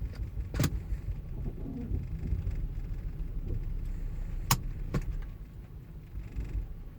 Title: Volvo rough idle